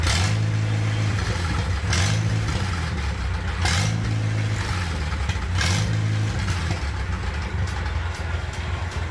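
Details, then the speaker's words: Old tractor with newly fitted exhaust, cold below 32°F: loud, deep open-pipe bark at idle swelling with throttle blips; sounds like a straight-pipe tractor, very rowdy. "Definitely sounds like a straight pipe tractor."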